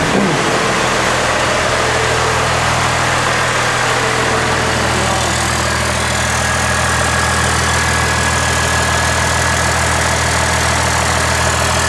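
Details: Chevy truck with swapped Cummins diesel (NV4500/NP205), first run in the shop after clutch hydraulics were done, no tach or exhaust yet, alternator not charging: steady, even diesel clatter at idle with a firm low rumble, no knocks or misses; normal idle.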